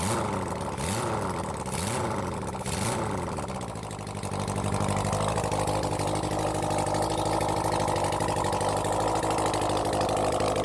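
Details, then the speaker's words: Honda CB400 Four engine on the bench after reassembly, choke closed: a few blips catch, then a smooth even four-cylinder idle before carb balancing. "all right it sounds good"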